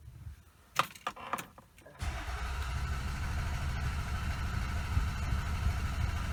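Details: Toyota Camry with EFI fuse pulled: key clicks, then starter churns steadily about three turns a second and never catches; cranks, no start, no fuel injection.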